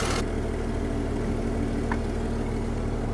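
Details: Small excavator diesel engine, restarted after sitting neglected, with low steady even idle and no knocks, misses or ticking. The engine sounds healthy, but the throttle and hydraulics don't work, possibly due to a safety switch.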